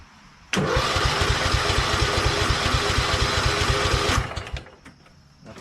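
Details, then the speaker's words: Hydro lawn tractor, sat about a year, on choke: starter churns engine fast and evenly about three and a half seconds with no catch, then stops; battery strong, fuel shut-off closed and no gas in tank. "Battery's strong enough, but it's not starting. Has the fuel shut off? It's off."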